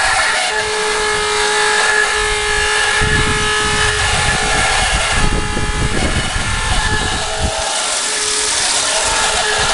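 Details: Walrus TQI 1500 pump: loud continuous rushing roar with a steady whine and rough rumbling bursts underneath; loud pump noise, cause unclear.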